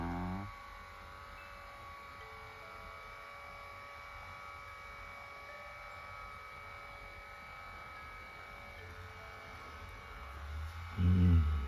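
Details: Lourdes massage cushion L (AX-HL168): steady low droning buzz as the motor drives the rollers; worn up-down rollers leave a gap, lifting and resonating under body weight from the gear/motor area; grease didn't help, roller shaft angle adjustment fixed it.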